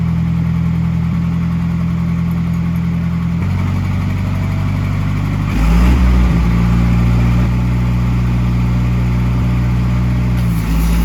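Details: Old gas-powered Hobart engine-driven welder: steady engine drone that dips and recovers as welding load comes on, pulling through smoothly without misfire or knock. Normal under load.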